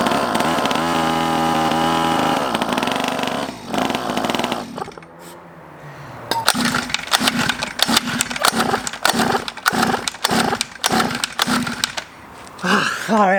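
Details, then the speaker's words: Cheap Chinese 50cc two-stroke pocket bike on half choke just after starting, moving forward: buzzes and cuts out, then fires in uneven bursts about 100 a minute, choked and hunting but running. "you could kind of start it and see what happens it's very half-choked ah Spencer that's worth driving now yeah moved quite a bit"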